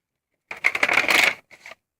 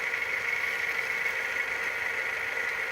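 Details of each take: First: Hitachi VT-FX695A VCR loading a tape: quick clattery whirr then soft clicks, an ordinary load, slightly different noise from the owner's earlier, near-identical Hitachi VCR. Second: Hitachi VT-FX695A VCR after greasing idler gears, fast-forwarding a damaged tape: steady high whir from the tape transport at one unchanging pitch; fast-forward runs at a single slow speed.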